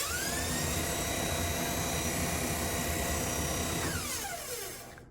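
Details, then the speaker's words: Three-and-a-half-year-old Whirlpool kitchen vent hood that stopped working: fan motor hum with a rubbing scrape about four times a second, then pitch falls as it spins down; something fouling the blade, later found to be a bat. "so i don't know what's going on sounds like there's something in there maybe clogging up the uh the fan the fan blade or the motor or something"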